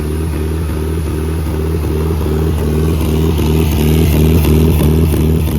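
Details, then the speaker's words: Nissan SR20DET engine started on a pallet on the ground; strong smooth idle with even pulses, swelling cleanly on a throttle blip, no knock or rattle, good oil pressure, no blow-by. Normal healthy running. "Look at that. sweet. That thing's a good solid runner."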